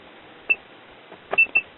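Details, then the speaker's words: Continuity check on a 1957 RCA Institutes kit AM tube radio chassis, one meter lead on chassis: short sharp beeps on each probe touch confirm the ground connections are good. "so i have one meter lead connected to chassis and we'll just go around that's good that's good good"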